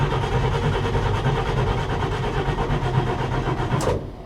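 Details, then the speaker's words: Car at a salvage auction with a manual shifter and choke: sluggish, dragging starter churn with a slow uneven rhythm that never catches, then cuts off; the battery is drained. "It's got a drained battery."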